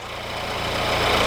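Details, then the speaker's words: VW Golf after new fuel filter, fresh fuel, connector cleaning and tapping electrics with a hammer (hall sensor not replaced), idling about 24 more minutes without dying; steady, even smooth drone, no stumbles or dropouts; normal idle. "it's been about 24 more minutes at this point but the cars are idling good"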